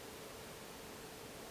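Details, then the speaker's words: Hcalory Toolbox 2S Plus diesel heater with silent fuel pump, running in shop: steady even rushing roar from blower and burner, no usual pump ticking; running normally and quietly. "it says it has a silent fuel pump. I'm curious how silent it is. I don't hear that normal tick, tick, tick sound that you normally hear with these units."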